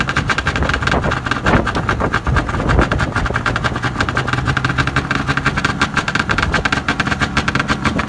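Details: Arctic Cat ZR440 snowmobile two-stroke, first run after rebuild, about zero degrees cold, oily header gasket leak, needs fuel pump and carb tune: busy uneven idle sitting low and wandering in speed; idle speed too low.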